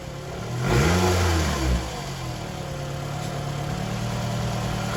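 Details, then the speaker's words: Car started after sitting just over two months, throttle body disconnected with battery on, radiator not yet installed: catches, flares with a rev, then uneven lumpy hunting idle; rough at first, owner unsure whether something was starting to seize. "yeah it sounded a little bit rough at first but it's just like the like I said the car's been sitting for like a little bit over two months"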